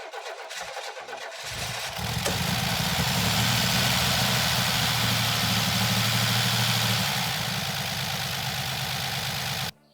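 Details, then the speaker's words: Buick Grand National after new ignition module and coil, 87-style ECM upgrade tested, vacuum lines checked: cranks, catches after a couple of seconds, idles with slightly uneven loping beat, no more black smoke; rough idle, tune unfinished, new PROM chip pending. "So definitely progress, right? There's no more black smoke coming out of the exhaust, so I know its tune is getting there. It's got a little bit more work to go."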